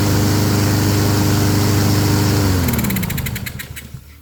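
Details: Honda self-propelled mower after carburetor work: single-cylinder engine running steady and even, then winding down smoothly at shutoff; smoky, possibly overfilled oil or oil in muffler from tipping. Normal running.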